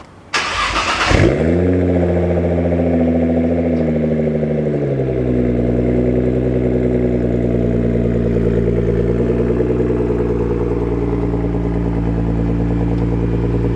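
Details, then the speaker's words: Nissan GT-R R35, just reassembled after long project, start-up: starter catch, quick flare, few seconds of high idle settling to smooth, steady rumble; normal cold start. "now she's complete all right let's start this Beast up"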